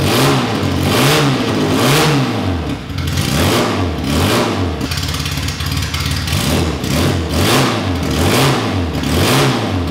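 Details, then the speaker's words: Classic Mini race car, Specialist Components 1293cc engine with big carb, first start with no exhaust or breathers: crisp rev blips about once a second rising and falling fast. Healthy, snappy free revving; it also idled well from cold. "right so that was awesome to hear the engine running it sounds really Snappy when you wrap it up it's really free revving and um sounds like a race engine should"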